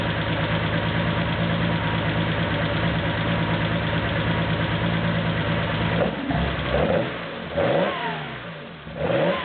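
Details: Porsche 911 2.7 L flat-six, early S cams, twin plug, 46 mm PMO throttle bodies, Tec3 management, final restart after throttle synchronization: smooth, steady idle, then a few clean blips rising and falling evenly; balanced throttles, crisp response, normal idle and rev.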